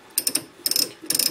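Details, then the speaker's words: Leinen LZ4S lathe collet holder driven by a 2 horsepower motor: backing the drawbar out gives three quick bursts of crisp, evenly spaced clicks, four or five per turn. Normal ratchet clicking; the mechanism works fine. "I'm going to back my drawbar out you can hear the clicking mechanism work just fine"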